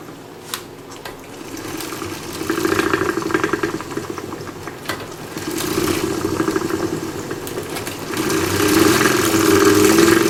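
A fluid trainer whirs under pedalling with a loose, uneven rattle riding on top that swells with effort; the source isn't pinned down.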